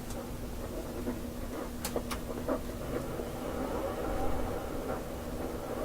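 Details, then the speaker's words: AM radio hunting a spurious signal at 1218 kHz; powering up the shop computer adds a steady low whine around 230 Hz over the radio hiss from the hard drive motor. "The hard drive motor seemed to put that whine on the radio."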